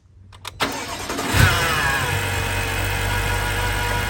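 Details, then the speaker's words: BMW F10 M5 S63 4.4 twin-turbo after power steering fluid change to CHF 11S: cranks, catches and idles with a thin steady high whine from the engine bay still present; source unconfirmed. "Still have the loud whine."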